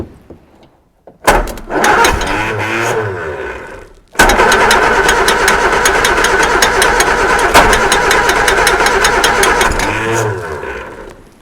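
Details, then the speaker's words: Reliant Super Van running for the first time in 37 years: engine catches after cranking and runs rough with a fast, steady ticking, the fan tapping on something unidentified; the alternator is not the cause. "the fan is definitely tapping on something but I don't know what it is well some's tapping on something around here you can hear it going ding ding ding ding ding"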